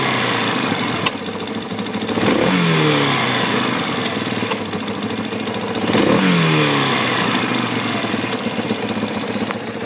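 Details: Yamaha Warrior 350 single-cylinder ATV: idles, then two throttle blips bring sharp pops through the intake boot as revs climb; owner suspects an intake backfire, cause unconfirmed.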